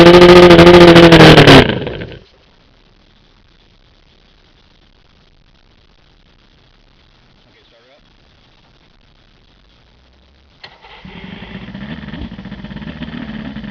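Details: OMC 125 hp outboard on a dyno: runs with a steady drone under two seconds then dies into silence as the float bowls empty and the weak VRO pump cannot refill them; fuel starvation from a bad VRO fuel pump.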